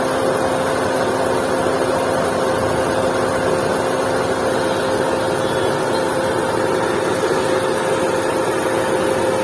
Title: Volkswagen Vento engine noise problem | Vento engine sound problem | #carengine #car #usedcar